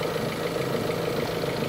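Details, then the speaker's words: Kia engine just after a cold start after two weeks unused, idling at about 500 rpm; quiet, mostly steady idle with a faint slight unevenness, owner suspects the oil hasn't yet circulated; otherwise healthy. "Kada yung andar, parang maano pa siya dahil yung langis di pa nakaakyat siguro."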